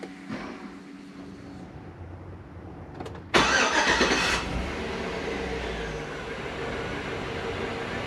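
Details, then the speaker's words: 2005 Chevy Tahoe 5.3 LS V8, previous no-spark fixed by repairing a bad ground: quiet cranking, then clean catch and steady, even idle with no misses or knocks; good oil pressure, charging, no overheating. "starts up nice got good oil pressure it looks like it's charging um it didn't overheat"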